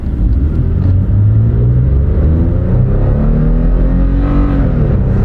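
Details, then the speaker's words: Toyota with simple four-wheel-drive system, pulling away from a stop on a drag strip: engine tone rises smoothly with plenty of power and no whine, clunk or gear noise, far quieter than a Dodge; healthy driveline. "of power, no problem, and really infinitely quieter than the Dodge."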